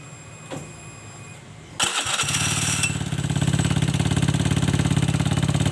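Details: Honda Scoopy FI scooter with several days of noise complaint, running with the CVT roller housing removed: a steady rapid pulsing idle with a coarse, rough edge, showing the rough noise comes from the engine, not the CVT; head and cylinder to be checked.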